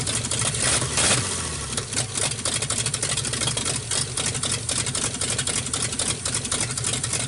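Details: 1948 Nash petrol engine, bored 60 over, first start after head work. It runs unevenly with irregular stumbles and a choppy, rich beat. Owner says it runs pretty good but floods out; a carburetor kit is planned.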